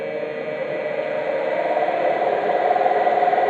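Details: Homemade 12-foot glass-fibre Gato submarine, drive motor with differential throttle control: even electric whir with a steady mid tone climbing slightly as it speeds up; drive motor runs cleanly.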